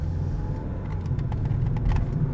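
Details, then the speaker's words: 2008 Toyota Sienna minivan with 141,000 miles, driven slowly: a steady, deep roar from under the car, a very bad, badly worn wheel bearing. "oh oh we have a very bad bearing and I hope you can hear it"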